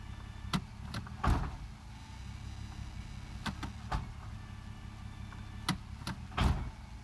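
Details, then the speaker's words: Nissan Maxima idling high in park after replacing the intake runner control valve, shifting into reverse and drive: heavy single thumps on each gear engagement, plus popping in the suspension. Bad mounts or a suspension issue are suspected. "so we definitely got something to clunk it in there and you can hear something in the suspension again a little popping noise on the outside so definitely got an issue or something going on in the suspension there"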